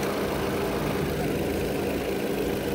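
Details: Used VW Polo with the CFNA engine: smooth, even idle hum with a steady low note and no tapping or knocking; healthy engine at rest.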